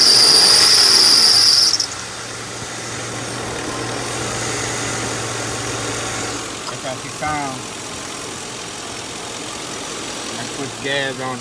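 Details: 2007 Lincoln Town Car: a sharp, steady high squeal rides over the idle for about two seconds, from a worn idler pulley that needs replacing.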